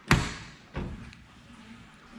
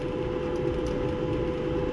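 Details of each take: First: Maytag Bravos high-capacity electric dryer: loud, steady high-pitched squeal rises over the motor hum as the drum spins up, from a worn, stiff idler pulley. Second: Maytag Bravos high-capacity electric dryer after the fix, idler pulley cleaned and greased, not replaced; steady low tumble and even hum with no squeak or chirp, the drum drive sounding healthy.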